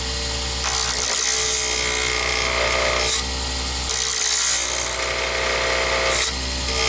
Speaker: when you start any blank it's a little bit out of Round Nothing is mounted exactly Square to the um to the tube and so you're going to hear some chattering and some noises